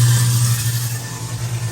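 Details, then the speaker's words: Newly installed American Standard half-HP garbage disposal under the sink, running with water draining: strong, steady low motor hum with no rattle or labouring; operating normally. "you can hear it grinding away everything seems to be working I think we did a pretty damn good job on this what do you guys think"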